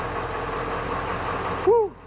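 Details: 1996 Ford F350 7.3 Powerstroke diesel plow truck after replacing one bad glow plug: starts and settles into steady even idle, no misses or knocks; fixed.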